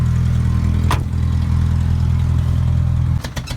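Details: 1986 Toyota 1-ton pickup, 22RE engine, warming up after sitting a couple of months: low idle thrum breaks into uneven stumbles, sputtering and close to stalling after running a few minutes; owner wonders if the gas is bad.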